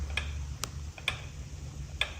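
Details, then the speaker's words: Rear wheel of a wrecked Yamaha R1S being rebuilt, on the balancer with the spacers mistakenly left in: sharp metallic clicks about every half second as the loose inner shaft shifts, making balancing impossible; removing the spacers fixed it. "I left the spacers in the rear wheel and you can hear the inner shaft clicking around, making the wheel impossible to balance."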